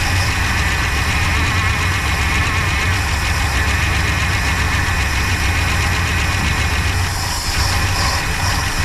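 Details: 1966 Pontiac Grand Prix, 389 CI V8, automatic, barn find unused about 30 years, first start on slight throttle: uneven loping idle with stumble; fuel pump not pulling.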